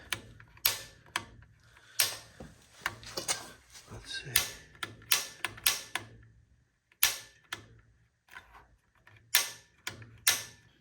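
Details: Gas water heater being lit after installation, gas valve turned to pilot: sharp separate snapping clicks, about fifteen in ten seconds at uneven pace; normal piezo igniter sparking as pilot lights.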